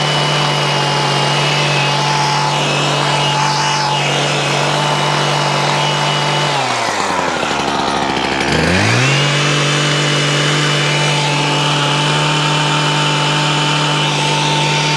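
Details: McCulloch Ego Light 6228 long hedge trimmer two-stroke, fuel and lines look fine: high steady buzz sags sharply in pitch for about two seconds then climbs back; owner reports bogging, cause not yet found.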